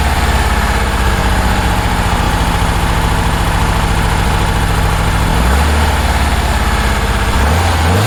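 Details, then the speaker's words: 1966 Porsche 912 cold start at about 60°F, idling high and burning oil, throttle blipped: lumpy, uneven loping idle that stumbles and hunts; two cylinders aren't firing; dirty carbs suspected. "I pulled the uh each one just to see the RPM drop and one and two equal drop three and four no drop at all um because three and four weren't firing"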